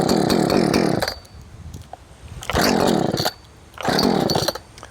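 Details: Poulan Farmhand 2500/2900 chainsaw, swapped from 3/8 low profile chain to .325, test-fired to cut: three crisp throttle bursts about a second each, dropping back to steady idle between; normal running.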